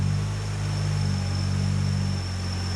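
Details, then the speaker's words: Mazda RX-8 with new 13B rotary build, 180 miles, warmed up: idle surges from about 1100 rpm down to about 820 rpm; intake temperature, MAF and idle air control valve read good; owner notes it begins when cooling fans switch on. "And it's coming up to about 1100 or thereabouts, and then dropping down to around 820."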